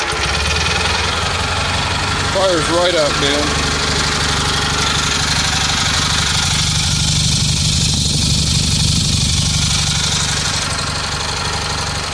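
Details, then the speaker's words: Rebuilt Kohler Magnum M18 single from a Cub Cadet 1882 on a test stand: fires up readily and settles into a steady, even thump with no knocks or misses; a running engine again, healthy. "all right i'm gonna play around with it but uh yeah it's a it's a running engine again so [Music] here it is in all its glory"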